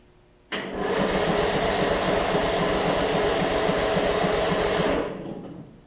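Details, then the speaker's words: Murray Select 42-inch 16.5 hp riding mower after new gas tank install, cranked on jump box/battery: starter spins engine evenly about four seconds without catching because the fuel valve was left off; crank no start, fuel supply off. "Rookie mistake, didn't turn the gas on, so let me give it a second."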